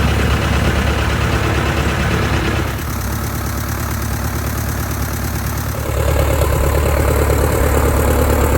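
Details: 1946 J-3 Cub engine at first start after a four-year restoration: a steady, even beat of about four pulses a second with a firm low rumble and no misses. Mags and carb heat checked good. Normal engine run-up.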